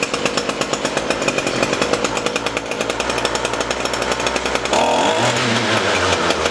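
Crisp high two-stroke buzz holds steady, then climbs cleanly to higher revs without stumbling; the trimmer engine is running properly.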